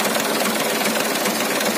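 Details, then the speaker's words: Auction 2019 HDL chassis truck diesel, just started: even diesel clatter at steady idle, no misses or heavy knocks; engine still fairly smooth. "mesinnya masih lumayan halus minyaknya juga"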